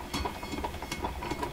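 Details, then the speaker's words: Electrohome console with Webster record player, after gluing a new surface onto the intermediate idler wheel: uneven lumpy thumping about five times a second; wheel galloping, possibly from glue hard spots or the joint; repair failed. "Ooh, what's all that sound? What was that? I don't know what that funny sound was. I won't worry about that. Here we go. Oh my God, it's galloping."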